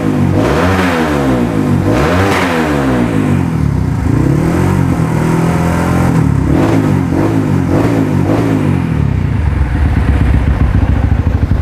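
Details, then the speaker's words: Modified Honda CRF150L bored up with a forged piston, reamed throttle body, TPS, camshaft, valves and springs: single cylinder blipped repeatedly, pitch rising and falling cleanly with no clatter or misfire, described as smooth and normal. "kalian bisa dengerin mesinnya nih mesinnya kem yang kita modifikasi semuanya halus normal dan Mantap ya"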